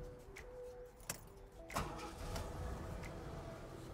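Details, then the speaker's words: 1988 Ford Ranger mini dually with 64,000 original miles: a couple of clicks, a quick catch without long cranking, then a quiet, even idle with no smoke or hesitation. Normal cold start and idle. "starts up like that every time no smoke no hesitation"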